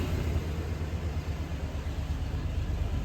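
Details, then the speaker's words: 1991 Chevrolet Silverado OBS small block V8 with 399k miles during tune-up: took a while to start, then low, fairly even idle with no obvious misses; smoother idle, though plugs and wires still needed. "All right, y'all, to me, that kind of sounds like it's running better. Took a little bit to start there, but like I said, I think we still need some plugs and wires."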